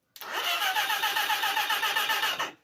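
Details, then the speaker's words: Project Pinky motorcycle engine, dry for six years, first cranked on the starter after a new oil and filter change; starter whirs about two seconds and the engine spins freely with no binding, oil audible, so it is not seized. "Oh, I heard the engine turn. Mm. I heard it. Let's move that wire out of the way. Oh, I can hear the oil. I can hear the oil."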